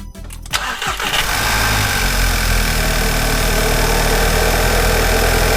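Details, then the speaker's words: MK6 Jetta GLI 2.0 turbo, cold start in the engine bay after replacing the cracked airbox and battery; cranks, catches and settles into a steady, slightly gruff, tractor-like idle. Normal cold start and idle. "It's a 2-liter turbo. It almost sounds like a tractor when it first starts up. But as you notice, it runs really good."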